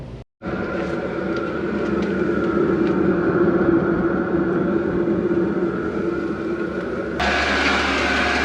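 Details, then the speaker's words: Newly installed heater in a workshop, first fire-up after priming: throaty start then steady, even roar with a constant mid-pitched hum; burning and running normally. "It's making that throaty noise when it first fires up for the first time."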